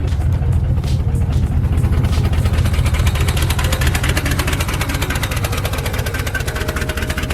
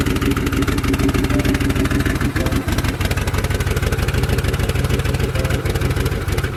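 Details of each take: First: Turbocharged Mercury Marauder V8 after salt water got through the engine: loud, deep idle with uneven lumpy pulse, no sharp knock; rough idle, earlier suspected knock no longer heard. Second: Turbocharged Mercury Marauder with DOHC 4.6 V8, which earlier stalled on throttle taps: steady low idle with an even exhaust pulse. The knock heard at an earlier start is no longer audible.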